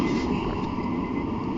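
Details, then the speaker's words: 1997 Acura TL 3.2 with new starter just installed: steady low rumbling churn as the engine cranks over cleanly, no grinding or clicking; normal cranking. "I'm just gonna let it rest right there while I was trying to start it up. Oh boy. Yep. Pumping over now."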